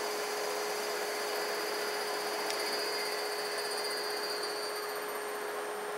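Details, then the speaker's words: DIY-kit AC inverter driving an AC induction motor/generator, encoder at 64 pulses per revolution with clean scope output, at good speed: smooth steady hum, one clean fixed tone, no rubbing, knocking or grinding; healthy. "there you go nice clean nice clean output there there's good speed there"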